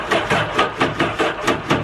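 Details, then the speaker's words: 2011 Yamaha WaveRunner VX110 Deluxe jet ski, sitting for years, first start attempt: starter chugs in heavy, dragging, uneven pulses; slow crank, suspected connections; uneven compression also wondered about. "that sounds a slow crank that's probably our connections yeah this sounds like slow crank"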